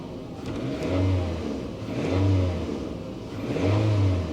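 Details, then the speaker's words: GMC Envoy XUV at a salvage auction, checked for a reported knock: engine swells through three revs with a light metallic rattle on top and no deep knock underneath; mild top-end rattle, not bad. "no that's uh that's not a knock sounds like a little bit of a topend rattle it's not bad"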